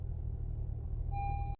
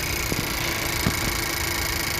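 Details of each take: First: 2018 Honda CR-V after new spark plugs for P0303 cylinder 3 misfire: low, even idle with no shake or stumble and a dash chime; misfire shaking gone though warning icons remained before battery and corroded ground contacts were addressed. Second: Honda CR-V with code P0303 cylinder 3 misfire, corroded battery and ground: coil unplug test, each coil disconnected in turn makes idle uneven with dull thuds as engine shakes, returning normal when replugged, so all coils judged good.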